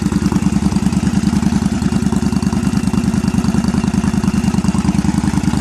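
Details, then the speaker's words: 2001 Yamaha V-Star 1100 Classic Silverado, just over 6,000 miles, cold start: lumpy, loping V-twin idle with sharp, uneven pops. The owner is unsure about the choke and suspects it is running too lean. It did not pop the previous day. "Maybe she's running too lean. That's why she's popping."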